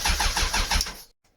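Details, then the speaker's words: Suzuki Bandit custom project motorcycle, quick starter chug about seven pulses a second for under a second, no catch after fuel vapor sprayed into the airbox; cranking no-start, owner suspects spark plugs, found a little oily, wiring checked next. "yeah so the answer to that was a very firm no so i think we'll get the spark plugs out get them cleaned up and see if they're actually working"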